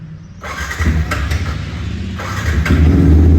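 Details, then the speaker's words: Yamaha R15 V3 at about 12,000 km, started after throttle body cleaning that was done because it was misfiring: single fires up and settles into a steady, even beat near four pulses a second with no rpm dips; normal idle. "भाई finally start होगी और पहले से अंदर पता चल रहा है अभी सही। आरपीएम ड्रॉप नहीं हो रहे ज़्यादा, और इसके आरपीएम के भी एक बार सेट कर देता हूँ।"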